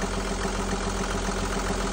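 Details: Perkins marine diesel that ran out of fuel from a failed low-pressure lift pump, now replaced and bled: even idle with a steady beat around seven per second, no stumbles or misses; running cleanly.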